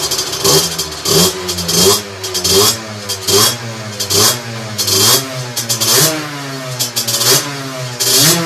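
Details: 17.5 mm carburettor two-stroke on a test bench, correctly set: sharp, clean rev bursts about once a second, picking up instantly on each blip and dropping back evenly. Normal crisp revving.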